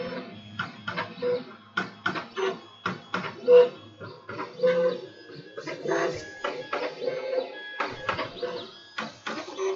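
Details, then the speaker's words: Monoprice MP Mini Delta 3D printer, preheated, nozzle heading to 210°C before printing: short stepper buzzes and soft taps in irregular bursts as the head probes; normal auto bed leveling run. "but the meantime I'm going to see how this goes look at that there's the auto bed leveling"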